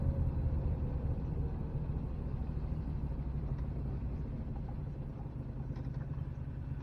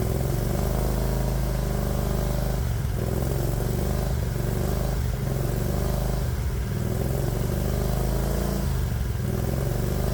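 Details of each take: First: 1969 Renault R10 with 670cc Predator V-twin swap, four-speed manual left in third, CVT drive, driving under load: low even V-twin thrum pulling steadily, no knocks or rattles; engine sounds healthy, CVT dulls the sound. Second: 1969 Renault R10 fitted with a 670cc Predator V-twin, cooling fan off, just after a cold start; deep, lumpy beat that sags and stumbles now and then; idle set too low, which it does when the engine's cold.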